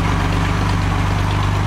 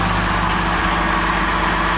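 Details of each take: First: Classic Mercedes-Benz 230SL Pagoda W113 six-cylinder started from cold, in park with the handbrake on, heard at the exhaust. Smooth, even idle with a steady low pulse and no misses or tapping; slight water from the exhaust, little smoke. Normal warm-up idle. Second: Mercedes-Benz 230SL Pagoda W113 petrol engine ticking over: steady idle with a faint, fast light ticking from the top end, a slight cam or tappet noise, to be investigated, not thought serious.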